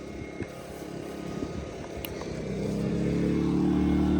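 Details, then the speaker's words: 2200-watt generator running choked on homemade alcohol fuel, with a 750-watt charger load applied: a steady hum swells in pitch and loudness as it throttles right up, then holds smooth and even. The governor responds normally to load. "So it just throttled right up, and that's 750 watts. Now remember, it is a 2200 watt generator."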